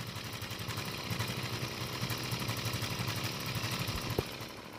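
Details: Six-year-old Stihl two-stroke trimmer on ethanol-free gasoline and good two-stroke oil, started and revved; idle and revs uneven and stumbling instead of a clean steady buzz; rough running, cause unclear.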